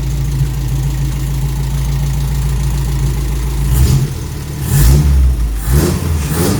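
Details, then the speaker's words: Toyota Corolla KE55 4K-C at first start, ignition timing not yet set with a timing light and engine untuned. Low lumpy idle, then throttle blips that flare unevenly and fall back rough; it sounds bad, though the thermostat is opening and there are no leaks. "sounds bad"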